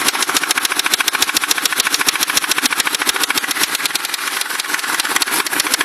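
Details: Ford Crown Victoria engine recently developed rapid, regular sharp metallic tapping just over two beats a second at idle despite good maintenance; owner suspects rod knock, not confirmed.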